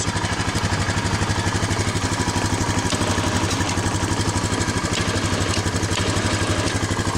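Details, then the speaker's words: Honda Foreman 500 ATV after soldering and liquid-taping a mouse-chewed wiring harness, engine idling while the winch is run out: steady idle with even quick pulses and the winch motor running on top; winch now works normally. "Alright, so that's working. That's working."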